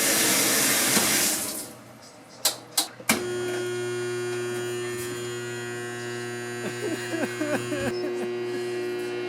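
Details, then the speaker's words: Whirlpool washing machine that fills then only hums, won't spin, agitate or drain, retested after motor work with lid switch connected: steady mains-pitch buzz, faint clicks, no spin-up; motor energized but not turning, probably not the motor. "and now it started buzzing again that's not good so that means the problem probably was not the motor so it's trying to send a signal I don't think it's the motor now"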